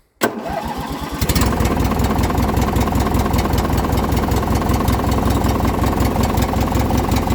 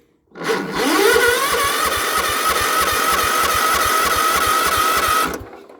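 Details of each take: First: Poulan Pro with Craftsman-branded Briggs & Stratton opposed twin, cold start on choke; catches after a second of cranking into a steady, even twin idle, no misses; cold-blooded, carburetor needs cleaning; normal cold start. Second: Small engine cold start: starter cranks steadily with even chuffing but never fires; governor linkage misadjusted, carb solenoid not clicking or staying engaged, owner suspects an electrical fault though fuel reaches the carburetor.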